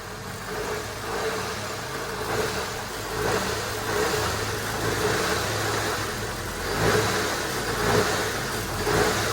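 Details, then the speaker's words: Holden WH Statesman series 2 with L67 supercharged V6 (M90 supercharger), at idle and just above: coarse rumbling rattle from the supercharger snout, from a suspected noisy drive coupler, felt through the car when taking off. "I believe it's got a noisy coupler inside the snout of the Supercharger so when that happens it sounds like this so at idle and just above idle you get a bit of a rumble from the front of the supercharger"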